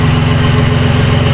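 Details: Nissan 300ZX turbo, first start after a new timing belt, water pump, thermostat, belts, plugs, wires and battery and a fixed boost leak: steady, even low thrum with a smooth regular pulse and no knocks or misses. A clean, healthy idle.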